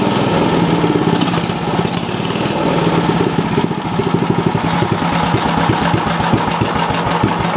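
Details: Briggs & Stratton Model B (B 7 S) single-cylinder engine with non-original muffler and added gas shutoff: quick, even firing beats hold steady under a bright exhaust bark with no misses or surging; it seems to run nicely.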